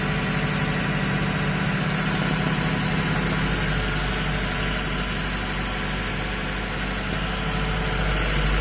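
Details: VAZ 2106 that burns oil, at idle: dull, regular knock about three a second under the engine rumble; cause not pinned down.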